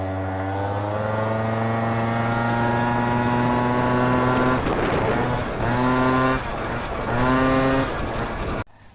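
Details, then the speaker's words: Piaggio Ciao moped with new Polini 65cc kit, two-stroke test ride: wail climbs then sags and stumbles at full throttle; pulls harder low to midrange but hesitates flat out; main jet (about 93) suspected too small, going to 96. "Bon, alors je sais pas si ça s'est entendu mais j'ai eu un trou à l'accélération quand j'ai mis vraiment plein gaz. Donc je pense que le gicleur doit être un petit peu petit."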